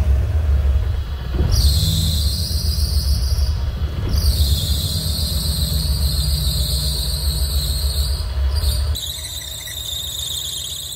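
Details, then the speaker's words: 1987 Camaro Z28 V8, parked nearly 30 years, first start-up after revival work: loud high shrill squeal cutting in and out over the rumble; belt slipping on red-hot alternator pulley though tight, alternator suspected going full field; belt squeal. "oh no why is that slipping so the alternator must be going full field because the pulley is Red Hot and It's someone's slipping the belt is tight"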